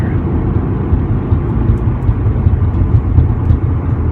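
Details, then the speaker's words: 2018 Subaru WRX after transmission and shifter upgrades (Boomba short throw shift plate, Torque Solution and Group N parts), revved to about 4,000–5,000 rpm; steady deep growl from the engine bay, louder and more up front, felt through the dash; drivetrain growl. "Before, the growl was just kind of like quiet and behind. It's a lot more up front now. It's almost like I can feel it coming through the dash, but I know it's just coming from like this area right here. A lot more growl though."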